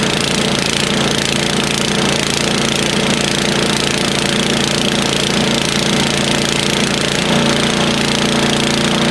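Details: Snowblower started after sitting idle all summer. Loud, rapid chatter from the small single-cylinder engine, running evenly without stumbling. Normal running after storage.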